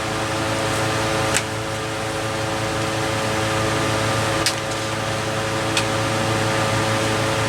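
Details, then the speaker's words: Vintage Westinghouse 5,000 BTU window air conditioner, case installed, before thermostat replacement, compressor running, cooling faster: even compressor hum under steady fan rush, only light clicks, no rattle or squeal; running normally. "It's getting cold. Got colder a lot faster this time now that the coils can actually transfer thermal energy efficiently."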